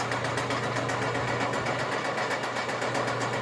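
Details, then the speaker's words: Fully rebuilt DMC 40 Hi-Cap rotary grain cleaner, rewired for single-phase 110 V, corn and soybean screens, bearings in good shape: an even motor hum with a soft pulse about four times a second and no knocks; normal running. "The bearings on this unit are in good shape."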